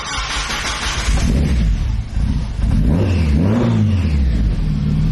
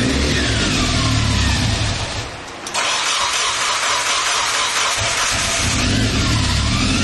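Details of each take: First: Turbocharged Mazda Miata four-cylinder after correcting exhaust cam timing (one tooth off) and loosening over-tightened belts: revs up and settles cleanly with no whine or chatter, now sounding better and more responsive; healthy running. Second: Turbo Miata after timing, cam and crank seal work: harsh whine over the idle rises and falls with revs right after start-up, caused by timing belts cranked too tight.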